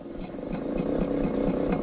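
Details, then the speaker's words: Classic Mini Clubman campervan rear wheel hub turned by hand during restoration; gritty, rumbling growl pulsing with each rotation; worn rear wheel bearing needing replacement. "definitely knackered so we need a new wheel bearing on there for a start"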